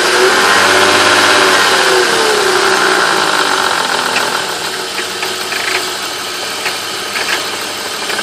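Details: 1995 BMW E36 325is, M50 engine, warm idle below ~1000 rpm: quick, light metallic teeth-chattering rattle about four times a second, heard only after warm-up, source unknown; owner wonders about VANOS.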